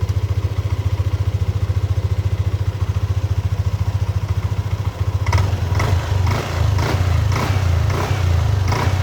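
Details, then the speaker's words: Yamaha Aerox (old model) scooter after replacing faulty CKP crank position sensor: cold idle at 35 °C, even steady low putter, no knocks or misfires, handling clatter later as radiator cover refitted; idling normally. "Kita sudah nyala, suhu 35 derajat, masih dingin ya."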